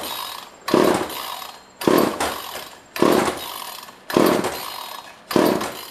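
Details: Pre-1990s chainsaw bought from a neighbor, no primer, no air filter fitted: five pull-starter rasps about a second apart, each fading with no firing; cranks but won't start, spark check next, fuel seems present.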